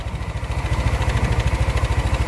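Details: Yamaha NMAX scooter idling with a rough, rapid, intermittent low knock like a scored piston despite a new piston and conrod; the mechanic suspects the flywheel magnet.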